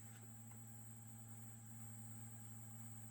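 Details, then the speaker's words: Constant, steady-pitch low buzzing hum with the Evo 4 and the SteelSeries wireless receiver box's line out both connected to the speakers, before fitting a ground loop isolator; ground loop hum. "just get this very annoying hum constantly"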